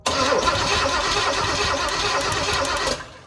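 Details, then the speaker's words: Square body truck missing the fuse-block wiring harness, starter and coil wired to a remote starter switch, spark confirmed: even cranking about three turns a second for three seconds; engine spins over freely but does not start. "So, the motor does turn over. We do have spark,"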